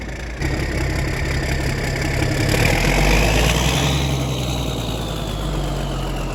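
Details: Versatile 895 tractor diesel after its first service in years, turbo clamp refitted: settles into a steady, even idle with a faint turbo whistle rising and fading; normal diesel idle.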